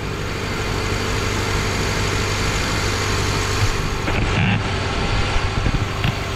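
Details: Subaru Forester 2.5 first start after timing cover seal repair, coolant and oil refilled, before thermostat opens and cooling system purges bubbles: steady, even low rumble with no knocks or misses; normal idle.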